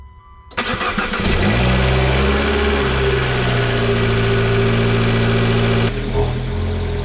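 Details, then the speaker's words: Turbo Dodge Dart just after installing Eurocompulsion air intake and Madness ignition coils: catches and settles into steady idle, then revs bring a rising whistle and light flutter; turbo spools up cleanly, noticeable difference. "performs already a pretty noticeable difference especially with that turbo hearing it spool up hearing the little flutters"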